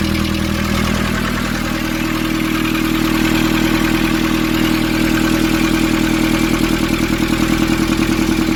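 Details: Nissan Urvan ZD30 diesel, after a no-start repair in which a soot-clogged part was cleaned and refitted: steady, even idle with a regular beat of about 200 per minute, no misses or knocks; runs smoothly.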